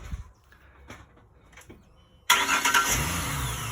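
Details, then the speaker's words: 2006 Ford Mustang 4.0 V6 after starter replacement, still on the jack: quiet, then catches straight away into a smooth, steady idle; a clean, normal start. "Yes, sir. Nice and smooth. It's good."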